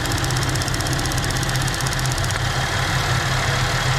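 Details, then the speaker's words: 2014 GMC Acadia at warm idle: fast, light ticking over the engine hum that sounds just like lifter tick, from a bad evap purge valve; the ticking gets much quieter when it is unplugged, and the valve is replaced. "There's the ticking. You can really hear it now. Sounds just like lifter tick."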